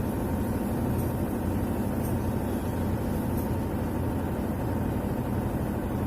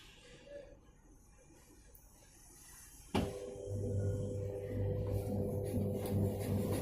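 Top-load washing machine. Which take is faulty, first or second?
second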